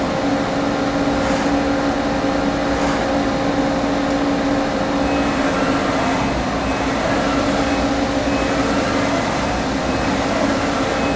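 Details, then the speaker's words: Okuma & Howa Millac 4VA 3-axis CNC vertical machining center, new 1986, Fanuc 11M control, manual axis jogging: steady, even low hum with a few constant tones, no knocks or grinding; quieter than some 1998–99 machines, smooth and well maintained. "i don't know if you could hear this but uh for an 86 machine this is quieter than some of our 98 99 machines that we have"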